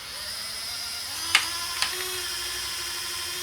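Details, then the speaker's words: Hornby model railway turntable after repair: a thin, high motor whine with two sharp knocks about half a second apart as the bridge passes under the tracks. Gear knocking; owner suspects a part fitted too rigidly or wrongly. "ah you see you've got that noise again I don't like that did you hear it it sort of went bang bang as those went under it"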